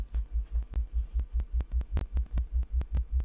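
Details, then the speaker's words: Speaker after fixing a rattling ferrite core in the crossover: deep bass tone pulsing about two and a half times a second, clean with no buzz or rattle. Normal bass reproduction. "no more rattling"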